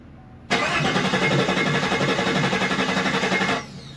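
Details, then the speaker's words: Chevrolet Silverado after a rebuild, with a low battery: about three seconds of steady, uneven cranking that never catches. No-start from the low battery; the truck started once the battery was addressed. "that didn't work we connected the battery pack hopefully it's just the battery cuz the battery is kind of low"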